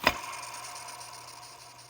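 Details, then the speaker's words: Worn tensioner pulley removed from a 2005–2010 Chrysler 300 2.7L V6 and spun by hand: a flick, then a thin squealing whirr fading as it coasts, worn bearing that made belt noise; the tensioner is being replaced. "i'm going to let you guys hear this sound you can clearly hear that this pulley is wore out hear that hear that squeal"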